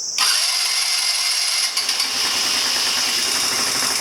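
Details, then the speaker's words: 2009 Genuine Buddy 125 scooter with intake and air cleaner removed and starter fluid sprayed into the carb at full throttle: it catches and runs fast and ragged on the spray alone. A fault was later found inside the carburetor. "Because now you heard it run. I mean, you heard it start up, so. With starter fluid, you heard it start up."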